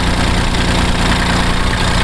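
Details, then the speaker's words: 1981 Kubota B6100 four-wheel-drive diesel tractor, bought from original owner, started after about 15–20 seconds of glow plug with clutch held; steady even low clatter, no missing or knocking, brief smoke at start, settling into a normal healthy idle. "smoke goes right away which is just normal for a diesel i've owned lots of diesel"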